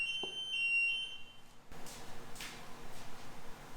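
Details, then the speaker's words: Short burst of high electronic beeps, then quiet machine-shop noise during drilling for valve guides in Minneapolis-Moline G1000 cylinder heads; gate buzzer falsely triggered by something blowing in the wind. "there is something out there blowing in the wind today that keeps uh setting off the gate buzzer makes me think customers have pulled in if you hear that sound in our videos it's because somebody came through the gate"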